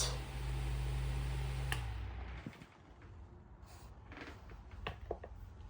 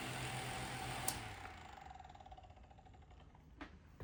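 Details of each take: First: Unbranded 6-inch fan, model 9146G/4C986G, 120 V 0.25 A 60 Hz; low steady hum with no rattle or scrape, showing how quietly it runs once a thrust washer issue is fixed; normal running. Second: Unbranded 6-inch fan (120 V, 0.25 A, 60 Hz) giving a quiet motor hum with a light, even ticking rattle about four per second; something loose in the motor, worn thrust washer suspected.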